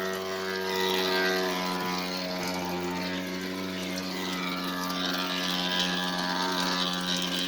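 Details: Electrolux washer keeps humming and churning with a steady low tone even with outlet and whole-house main power shut off; starting another cycle was the only way to stop it.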